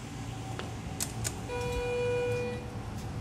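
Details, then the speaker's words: Schindler 330A hydraulic elevator, recorded in machine room, car parked at floor one with oil viscosity control active; steady low pump motor hum swelling briefly while warming oil; normal running. "as you can hear the motor is running"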